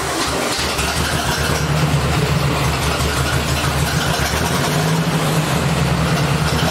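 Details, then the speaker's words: 1964 Ford 4000 tractor after electronic ignition conversion and timing adjustment: even, steady low firing with no misses or knocks, idling smoothly; running normally, though owner feels a little power is missing, maybe a bad wire or plug. "My friends, the tractor seems to be running pretty well. There may be some other problem."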